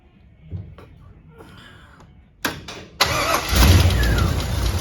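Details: 1961 Chevy Impala, fuel-injected, first crank after correcting distributor installed 180° out and readjusting valves: slow cranking, then catches and runs rough and uneven with occasional pops back through the throttle body; computer not yet programmed.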